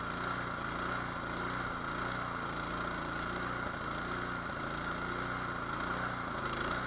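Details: Nearly new Cub Cadet 24-inch two-stage snow blower with 208cc single-cylinder engine, previously no-start, started on choke: settles into a steady, even patter with no surging or stumbling, running normally.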